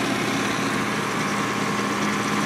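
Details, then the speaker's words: GE Potscrubber 970 dishwasher on a wattmeter, filled with cold water, drawing about 752 W with the heating coil on, draining: even, steady whir and constant hum, no new leaks seen; normal drain cycle. "yeah we're draining again and i don't see anything new that's good"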